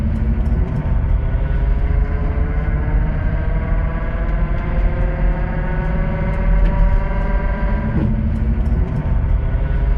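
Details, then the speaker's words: Vehicle road test recorded in the cabin: loud, heavy drone under road noise, centred in the cabin, starting at lower speed and rising with speed, from a failing transfer case. "I'll share with you clip on a transfer case as it comes in at lower speed but the real loud draon you can hear and it was very Central in the cabin when I was Road"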